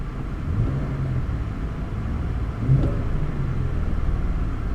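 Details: Salvage auction car at a yard walk-around, heater warm, no warning lights, goes into gear fine: steady low rumble swelling briefly as throttle is blipped, then settling back; picks up cleanly, normal free rev.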